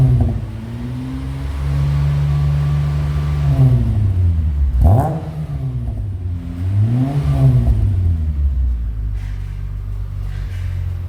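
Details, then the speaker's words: 2003 Mitsubishi Magna VRX (TL, 163 kW) with a new custom in-house sports exhaust replacing the rusted factory 2.5-inch system, heard from outside on its first hot run: deep, smooth rumble rising and falling cleanly with revs, no rattles or leaks; healthy exhaust. "Lovely and deep like the customer wanted. It certainly has the look and has the depth."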